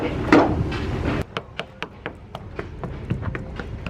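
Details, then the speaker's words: Knocking along the fiberglass hull of a Midnight Express double-stepped center console yacht. A string of sharp, firm knocks each ring the same, with no dull thuds. The hull is solid, with no soft spots found. "So you knock on the hull and try to find like soft spots all the way through it, but it's solid. This boat's, there's no problems with it."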